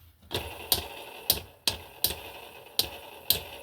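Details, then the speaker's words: Samsung dryer disassembled, front drum support rollers spun by hand: sharp uneven clicks with dry rushing between them from a worn roller. "That one does."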